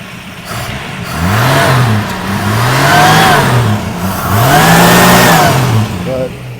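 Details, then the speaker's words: 1970 Ford Maverick 200 cubic inch inline six, recorded at the engine: two clean throttle blips climb smoothly and settle back to an even idle with no misses or knocks. It runs well, though it probably needs a thermostat and cooling system work. "But I mean, that thing just purrs, man. I mean, you can tell that's a good motor."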